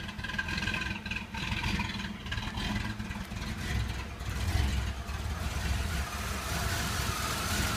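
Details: Chevy Blazer S10, hard to start: idle rumbles unevenly, loudness surging and sagging with no steady beat; rough idle, cause unclear. Fuel pressure steady at 60–62 psi, almost chokes at full throttle, runs fine above 1300–1500 rpm.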